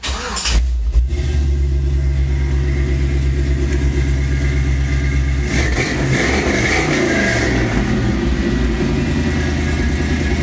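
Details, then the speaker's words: 1993 Chevy S10 with swapped 5.3 LS V8: fires and holds a deep, even rumble, revs up and settles back cleanly with no knocks or misses; normal running. "actually sounds pretty decent."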